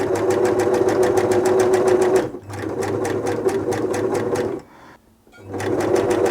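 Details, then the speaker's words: 1974 Singer Genie 354 sewing machine after servicing, sewing after oil was put on its plastic bobbin case: fast even stitching at three to four a second with a light tick each stroke. The bobbin case rattle is slightly better after oiling. "i'd be tempted to put a bit of oil in there as well i mean you know some people say you shouldn't have to but i find it quietens machines down quite a bit even with the plastics there"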